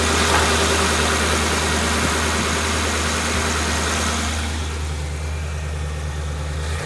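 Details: Van after a bent part that caused grinding was replaced: smooth, steady low engine hum with an even beat, nothing knocking or slipping, easing off at the end. Healthy idle; the owner says it is now working great.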